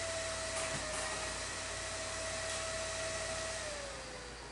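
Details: Old desktop PC during Windows 10 install: CPU fan running at almost 6000 rpm, loud rushing with a steady high whine that drops in pitch as it slows; fan overspeed, calmed by adjusting fan settings in BIOS.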